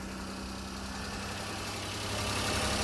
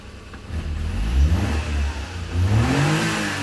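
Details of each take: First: Mini truck running with the air filter lid held off by hand (owner says it won't run with lid on, suspects frame snorkel plugged with mouse debris): steady, even idle with low hum, takes throttle fine; normal idle. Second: Mini truck, owner unsure where it gets air and suspecting mouse debris in the frame snorkel: speed sags and climbs in uneven swells every couple of seconds, nearly dying then recovering; intermittent stumble, cause unconfirmed.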